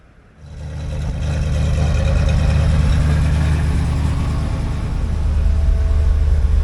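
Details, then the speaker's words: 1964 IH Travelall C1100 with new starter, warming up, temperature 174 on a 180 thermostat: engine catches and settles into even steady low rumble, no knocks or misses; best it has sounded in a long time. "But it sounds really good. Like that's the best this truck has sounded in a long time."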